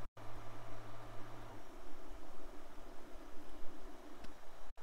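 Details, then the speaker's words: MINGDA Rock 3 Pro 3D printer, 300x300x400 mm build volume, head moving: faint low buzz for about a second and a half, then near silence; extruder adds a little noise when printing; quiet, normal motion. "the printer barely hears a buzz during printing a little more noise is heard because in that case there is also the extruder which is not exactly silent but everything else as you are seeing is practically very silent"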